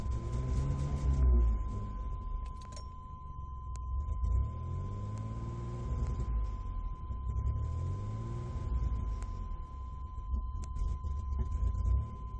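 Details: 1996 GMC Jimmy (VIN code W) fouling spark plugs, no engine codes, despite new ignition control module, coil, plugs, fuel pump and injector assembly: low rumble stumbles and sputters as revs rise, badly when floored; misfire, cause unknown.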